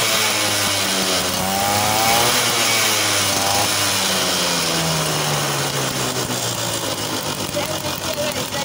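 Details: TVS XL Super two-stroke moped after reassembly with reed valve fixed for a starting problem, kick-started: crisp, even buzz rising and settling smoothly as the throttle is blipped, no misfire or stumble; running healthy.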